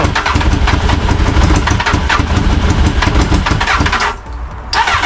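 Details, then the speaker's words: Crash-damaged Honda Hornet motorcycle, after plugging in a missing wire: steady starter grind with uneven chuffs that nearly catch but never run, then a brief second crank; battery running out of charge. "all right so the missing wire here I plugged it in it sounds like it's going to fire but I don't know"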